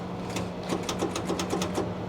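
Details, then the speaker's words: Salvage Ford F250 at auction with about 216k on the dash: quick chatter of sharp clicks, about seven a second, with no cranking; first suspected locked-up motor or bad starter, then blamed on the solenoid/switch, as the cables weren't hot. "It's locked. Yeah, that sounds like a locked up motor or a bad starter."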